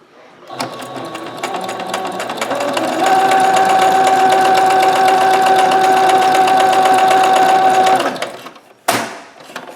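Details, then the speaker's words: Singer Ingenuity sewing machine after hook/bobbin timing adjustment fixed a jam, sewing a second pattern: even, rapid stitching about four stitches a second, steady whirring, no catches or clunks; pattern better, everything working normal. "Okay, there you go. So the pattern's better. Everything's working normal now."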